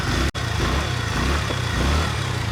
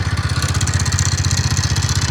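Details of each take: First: TVS Ntorq BS6 scooter, about 38,000 km, after engine work to cure a ticking sound: steady, even single-cylinder putter at idle with a regular pulse and no ticking or knocking; engine sounds healthy. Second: TVS Ntorq BS6 scooter, about 38,000 km: at start-up and idle a rapid, even tapping knock, roughly twelve per second, rides over a rough idle; a loud engine sound problem.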